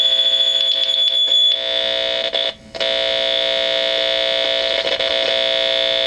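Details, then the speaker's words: 1960s Gibson GA-5 Skylark tube guitar amp with volume around 9 to 10: steady piercing squeal near 3.5 kHz that stops when the tube is grabbed, a microphonic 6EU7 preamp tube. "simply grabbing the tooth so I think we have a bad preamp tube"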